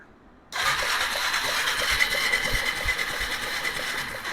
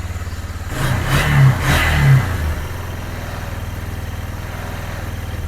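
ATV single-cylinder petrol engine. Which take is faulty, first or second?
first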